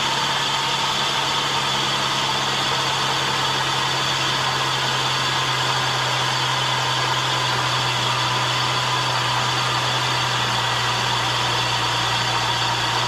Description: In this video I investigate a terrible sound coming from the front of the engine. I find a bad bearing in the A/C compressor.